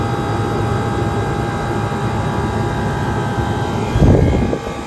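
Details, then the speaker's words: 1978 Comfort-Aire Quietmaster Heat Controller, 2.5 hp reciprocating compressor, recorded close to the compressor while the unit is still gunked up: deep steady hum with low rumble and even tone, no knocking or rattles; running smoothly and healthy. "this is a very powerful reciprocating compressor this is a 2 and 1/2 horsepower monster and yes I call it a monster cuz this thing gets this thing works instantaneously and it's an excellent design"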